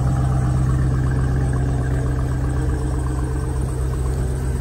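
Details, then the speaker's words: 2018 Jeep Grand Cherokee Trackhawk that was reluctant to crank, idling after start: a deep, lumpy idle with an uneven pulse of about four beats a second. It runs kind of rough, cause unknown. "trackhawk don't want to crank there go to tracky now kind of rough"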